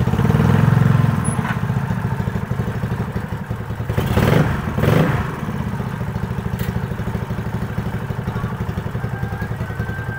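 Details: Owner's scooter that started cold but died and was hard to kick-start when hot, ridden after valve clearance adjustment: cruises with a steady, even putter and no misfire or stalling; fault found and fixed, it was valve clearance.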